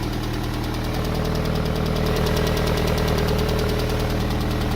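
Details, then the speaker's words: Yellow MG on first start after repair: quick, steady knocking of three to four taps a second over a rough idle, with a burning smell and heavy exhaust smoke. Still broken, cause unconfirmed. "That sounds like it's still fucked. I can smell it."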